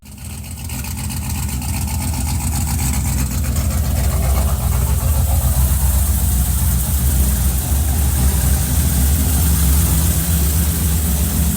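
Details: Cadillac CTS-V (first generation) on E85 with a custom 13:1 compression build and CNC-ported LS3 top end, first start after the rebuild: cranks, catches, and settles into a deep, steady, even idle with no knocks or misses; normal idle.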